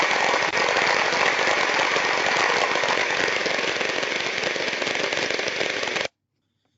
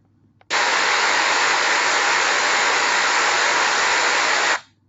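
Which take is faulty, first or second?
first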